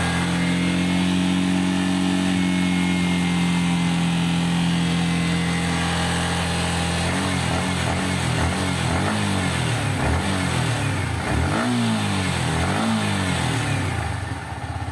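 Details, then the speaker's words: Yamaha R15 after fixing the rear footpeg retaining clip behind a metallic foil-like vibration at about 5,500 rpm: idles steadily, then blips up and down through the revs with no buzz or rattle; the peg is now quiet. "vamos ver se parou o barulho vamos ligar ela para ver vamos lá era com 5 5500 giros [Aplausos] hein é acabou o barulho"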